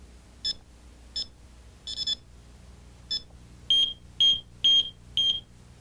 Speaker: the four beeps simply tell us that an opening is unprotected